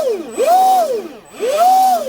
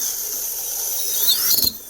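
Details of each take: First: Proboat Recoil 2 RC boat, Leopard 3660 3180kv motor, Dynamite 120 ESC on 4S, after greasing the flex cable in the Teflon liner. Three throttle bursts give a clean, steady whine with no rattle; the noise from the liner spinning is gone. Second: Proboat Recoil 2 RC boat with its motor on a 4S battery, throttled up by hand. A thin whine climbs with speed, then breaks into stuttering bursts near top revs; the motor chatters at high rpm, said to exceed its RPM ability with this ESC.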